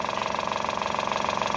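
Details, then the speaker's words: Aqua washing machine spin-dryer motor with sound windings but a worn, loose bushing: it hums steadily with a fast, regular pulsing throb and does not run smoothly, making the tub shake; the bushing must be replaced. "Nah ini kalau dinyalakan nyala cuma Enggak ini ya Enggak enggak halus suaranya nah dia goncang ya nanti Andai pun dia berputar ya itu tabung bisa goncang ya"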